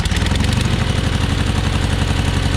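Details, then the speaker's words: John Deere 420 garden tractor twin, warm after driving: lumpy uneven idle with every other beat missing; running on one cylinder, cause not yet confirmed. "You hear anything missing? I do."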